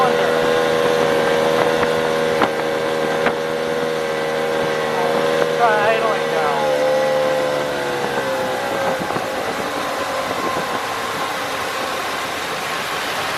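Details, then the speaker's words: Tohatsu two-stroke outboard, warmed up, near full throttle: steady buzz turns ragged and stumbles as throttle drops, losing a cylinder, then dies; first thought electrical, actually a dirty fuel filter. "as it warms up you're going to hear even uh when we're at Full Throttle or near Full Throttle that it starts missing or or one of the cylinders isn't firing"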